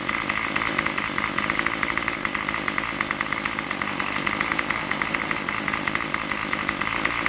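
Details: Craftsman Weedwacker trimmer 316.791191, MTD 27cc two-stroke shortblock, Zama C1U-P27 carb, after rebuild: high buzzy note holding steady with even firing at fast idle, tach jumping around 2600–2700 rpm, no choke needed; normal idle.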